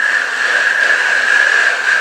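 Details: Customer's Bosch Performance Line CX e-bike motor spun by a crank on the bench before overhaul: a rough, hissing grind with a steady high whine from worn, noisy bearings. Nearly every bearing needed replacing, and afterwards it runs like new.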